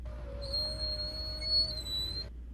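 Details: Nissan Titan/Armada power window squeaking as it moves up or down: a steady high-pitched squeal over the low motor hum from dry regulator tracks; silicone spray didn't help, so the fix is greasing the tracks.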